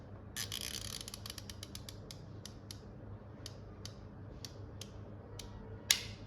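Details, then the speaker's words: Samsung fridge not freezing, gas and new compressor OK, defrost timer fitted in place of choke PCB: light ratcheting ticks as the timer is wound, then one sharp loud click as it switches into defrost heater mode; normal. "अब ये cut की आवाज आने की वजह से अब समझ लीजिए आपका जो ये टाइमर है ये हीटर मोड पर शिफ्ट हो गया है।"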